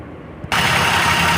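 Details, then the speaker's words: Maruti WagonR CNG/petrol car that misfired on petrol only, started on petrol after rewiring the injector control wire: it catches and settles into a steady, even idle with no misfiring. "ये आप देख सकते हो बिल्कुल गाड़ी हमारी ton हो गया ओके हो गया कोई मिसिंग मासि ना इसम देख रहे हो ना बिल्कुल"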